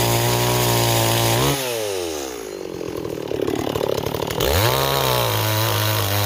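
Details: Stihl 026 chainsaw cutting wood: high, even revving drops cleanly under load as the chain bites, then climbs straight back up; cutting strongly.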